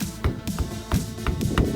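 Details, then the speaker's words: Lada Vesta front wheel struck by hand at the caliper area during a summer tire change, after the owner's small modifications to cure front-suspension knocking; quick dull, solid taps with no loose rattle or metallic ring, pads sit firm. "слышим что у нас глухой стук это достигнуто тем что я сделал небольшие доработки"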